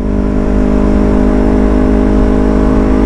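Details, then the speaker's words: Yamaha R3 with full-system exhaust after fitting an SRB resonator to cure excessive noise and backfire. Deep, smooth, rounded drone under steady acceleration, no popping or rasp; quieter, healthy, well-muffled exhaust note. "maingay mga amigo mas gumanda yung tunog ng tambutso natin mga amigo mas bumilog"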